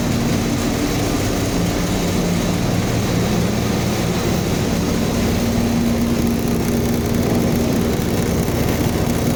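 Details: Reefer truck chiller fan blower after replacing worn carbon brushes that had blown the fuse ("fuse bad" error): steady, even whooshing with a low constant hum, no knocks or surging; normal blower fan running after repair.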